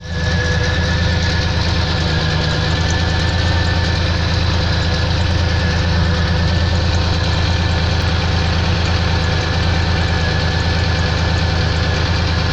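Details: Pontiac engine: deep, heavy idle with an uneven thumping knock about three times a second, holding steady throughout; knock at idle.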